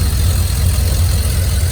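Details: 2001 Silverado 5.3 V8 with turbo kit, after replacing the blown driver's exhaust manifold gasket with a metal one and adding a turbo blanket. Deep, steady idle rumble, even pulses, no puffing or ticking from the manifold: normal idle, leak fixed.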